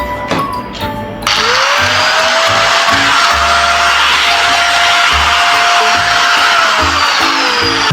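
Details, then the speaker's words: Power Bilt AG4 4-inch 1000 W angle grinder after repair, test run: steady high whine holding even pitch after spin-up and winding down cleanly, no rumble or grinding; runs normally. "చూసారు కదా friends machine అయితే ఏ విధంగా run అయిందో మీకు చూపించాను కదా"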